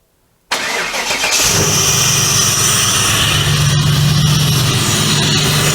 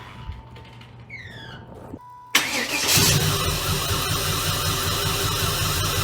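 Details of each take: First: 1996 Impala SS with a stock LT1 V8 and TorqHead conversion, which had been running rough and starting poorly with coils failing one by one. After the new coils, the starter catches quickly and the V8 runs steady and even, "much smoother". Smooth running. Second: 1996 Impala SS, stock LT1 with headers, exhaust and TorqHead conversion; coils have been failing one by one; fuel pressure reset from 55 to about 45 psi. Engine catches after a short crank into a lumpy, uneven idle; misfire suspected from injectors or coils.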